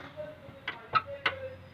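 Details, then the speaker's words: Old-model Maruti Suzuki Wagon R, 4-cylinder, in at 100,000 service with front suspension noise over bumps: sharp dry taps about twice a second as the wheel is rocked, from play in the lower arm ball joint. "അപ്പോൾ ആ play ഉണ്ടെന്നുണ്ടെങ്കിൽ കട്ടറിൽ വീഴുമ്പോൾ lower ആമിൻ്റെ sound ടക്ക് ടക്കെന്നുള്ള sound നമുക്ക് കേൾക്കാനായിട്ട് സാധിക്കും."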